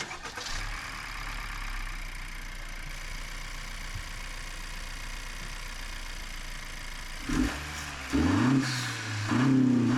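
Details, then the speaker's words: 10th-gen Honda Accord just after a new intake install with the MAP sensor transferred: start-up checking for leaks, even steady idle hum then a few smooth rev blips, no hiss, whistle or stumble; normal running. "All right, we'll start it. Give it a run."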